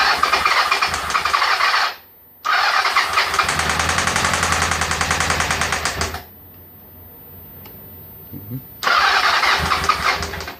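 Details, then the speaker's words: 1997 Honda CB750 started on choke after cleaning and heating spark plugs, stalls twice: sharp, very ringing tap about four per second over idle, as if hitting the engine casing; accessory drive chain tensioner suspected, unconfirmed. "Интересный такой звук стучащий. Очень звонкий. Такое ощущение, что по корпусу что-то хреначит. Прям по корпусу двигателя."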